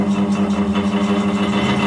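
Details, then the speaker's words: Cellar King bar chiller condenser fan, about 4 years old running 24/7: loud droning hum with a fast steady wobble about six times a second, unit shaking hard; condenser fan motor bearings worn out, one possibly missing. "switch her on and listen to how bad this thing sounds this has got shot bearings galore"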